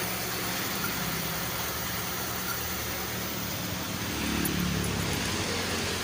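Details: Honda City i-DSI petrol engine idling with a slightly uneven, stumbling beat and white smoke; misfire at idle.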